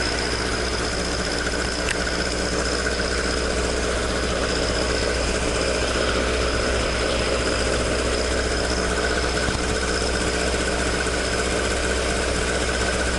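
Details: Toyota AE86 with 4A-G engine after exhaust leak repair, stock exhaust: a smooth, even idle with a steady burble and no puffing or ticking from the pipes. Normal exhaust note.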